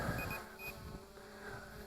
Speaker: now here the beeping we got two beeps there one is for the camera letting us know we are recording video and the other beep is telling us we are doing an automatic return to home and landing